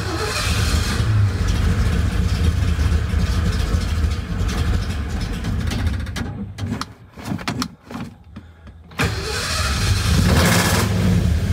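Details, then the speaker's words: 1985 Ford Bronco with mechanical fuel pump, fuel seen bubbling up: engine labours and sputters, nearly dies, then catches and settles; slow fuel delivery makes it hard to start. The air filter caught fire afterward, likely from a backfire. "when i walked up here i could see some fuel bubbling up so i would explain why it's taking a little bit longer to start up"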